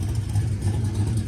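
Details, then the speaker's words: 1972 Oldsmobile Cutlass Supreme V8 idling on fuel poured into the carburettor bowls, fuel pump delivering nothing: steady even low rumble, no knocks, ticks or rattles; engine sounds healthy before it runs out of gas. "It doesn't have any rattles or knocks in the motor."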